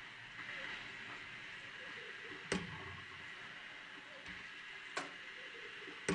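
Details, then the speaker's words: Model 1/2-inch Southworth steam pump running slowly on steam after leak repairs: quiet room with a sharp single knock every couple of seconds; normal sound of the shuttle piston traveling end to end in its own cylinder in the steam chest, not the water piston. "The knocking sound that you can hear is not the piston hitting the top and bottom of the water cylinder. These type of pumps have what's called a shuttle piston. And that's what you can hear traveling end to end in its own little cylinder in the steam chest."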